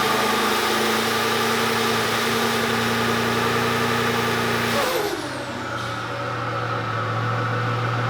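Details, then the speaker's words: VEE080, a boosted LS drag car, runs with an uneven, stumbling beat under a steady drone that dips and recovers. It's still misfiring after a MAP sensor swap that seemed to point to a VCM scanner setting instead. The spark plugs are suspected next. "uh obviously it's still misfiring which we still bring this blog so we're going to sort the plugs out hopefully that sorts it out"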